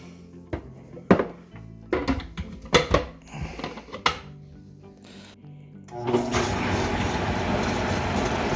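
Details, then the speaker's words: 64-ounce Vitamix blender, previously barely turning and smoking, tested with water after blade assembly replacement: after some knocks and handling, the motor spins up to a smooth, steady whirr with no labouring; sounds like new. "Wow. It runs a lot better, doesn't it? A lot better. Now you're ready to make some smoothies, right? Sounds a lot better. It sounds like it did when it was brand new."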